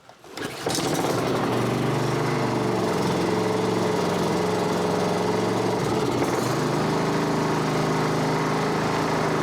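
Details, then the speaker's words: Honda HRB216 push mower (GCV160), stored a few years, a puddle of oil or gas found underneath, new plug fitted, cold night start on choke: wavering uneven beat with small speed dips, smokes a little oil, rough running blamed on a dirty carburetor. "Runs kind of poopy. Runs kind of crappy, smokes a little bit of oil, but it hasn't run in quite a while, so we're gonna just let that simmer a minute."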